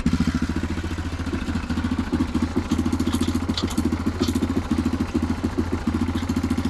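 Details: Neglected Yamaha Grizzly 660 ATV found with no antifreeze and no oil, idling: single-cylinder thumping at a rough, uneven beat with a raspy puff on each pulse. Exhaust leaks are bad.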